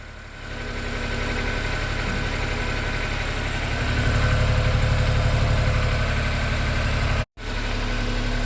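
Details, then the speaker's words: Freshly rebuilt three-cylinder engine on first runs, ECU reset, not yet warm, 55 psi oil pressure: busy top-end clatter plus steady whirring hum from the gearbox with clutch engaged; input shaft or pilot bearing noise. "yeah that's all top end noise talking about oh yeah that's input shaft bearing or pilot bearing"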